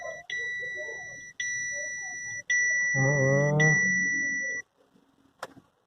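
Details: Chevrolet Captiva that won't start: three long steady electronic beeps about a second apart, then quiet, a dash warning sounding during the no-start.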